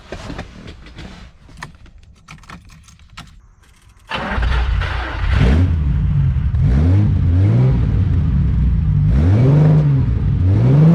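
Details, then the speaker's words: 1972 Ferrari 365GTC/4 just revived after a carburetor fault, ice cold, no choke, stale fuel: oil pressure up, very slow wavering idle with irregular pops and spits while warming up. "got oil pressure idles very slowly but that's okay it's ice cold no choke let things warm up a little bit it's going to pop and spit like that for a little bit"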